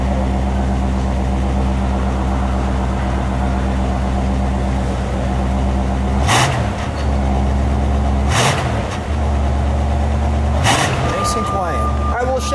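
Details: 1975 Buick LeSabre Custom Convertible, original-owner car, just started at a car show: a deep, even V8 burble holds steady through a few light throttle blips. Smooth and quiet, a healthy idle with light revving.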